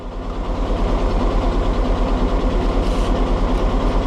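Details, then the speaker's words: Willys CJ2A Jeep with L134 flathead engine, starts right up but white smoke and burning oil: steady heavy knock about three times a second at idle over the exhaust beat; owner suspects head gasket and/or rings, internal damage unconfirmed. "So it starts right up and it runs good except for that knocking and the smoke coming out."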